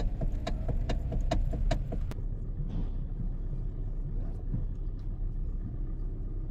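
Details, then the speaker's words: Hyundai (i30) running, sharp knocks about four a second over idle as the steering wheel turns, from a worn steering coupler spider bushing heard from underneath. "Para ito sa mga nagtatanong kung anong klaseng tunog ba ang naririnig sa steering ng ating m Hyundai aasan spider bushing yung pinost ko nung nakaraang video natin"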